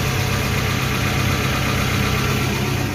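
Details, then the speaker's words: Suzuki APV (Mega Carry) petrol van that shook, coughed and lacked power, after a service and part replacements: it now idles smoothly and evenly with a steady low hum and no shake. The rpm is still not quite right. "Sudah nada getar apalagi kencang nih udah rata untuk mesinnya memang rpm nya masih gitu ya"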